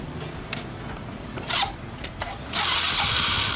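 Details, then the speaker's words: Suzuki Smash motorcycle, cold engine in the morning: short bursts of jingly metallic grinding as starter spins, then harsh steady scrape near the magneto; starter gear found rubbing the crankcase, though starter bearing was first suspected. "Itu begitu kita starter bunyi sking, kayak ada gemerincing gitu loh di bagian magnet."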